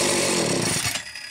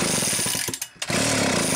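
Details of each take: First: Homelite chainsaw (350–750 series, coil and transformer ignition), a known runner started to prove it: fires straight up into a crisp high-pitched buzz for a second, then cuts off cleanly; ignition and engine healthy. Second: Homelite chainsaw during a coil and transformer ignition test while cranking: quick, evenly spaced snapping ticks of the spark arcing. Owner suspects poor contact, possibly paint in the connection or too little pressure.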